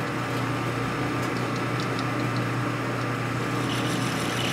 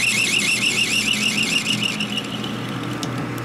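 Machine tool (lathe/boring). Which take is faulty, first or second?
first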